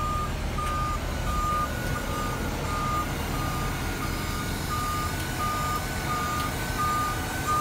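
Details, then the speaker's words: Shower bus parked with engine idling, ADA ramp being deployed from door control panel: evenly spaced high warning beeps about one and a half per second over steady engine idle; normal ramp deployment warning. "Open the doors and deploy or stow the ADA ramp. We're gonna deploy"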